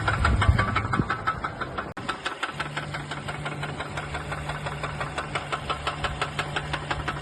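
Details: Mercedes A220 petrol engine idling with a steady, sharp knock about three times a second, before an engine rebuild with a new piston, rod and bearings.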